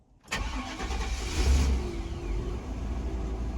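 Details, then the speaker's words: 1999 Chevy 5.7 fuel-injected truck, started after fuel pump replacement with the injector ground wire checked, cranks briefly, catches and settles into a steady, even run with deep exhaust rumble; normal start. "and there you go voila it runs"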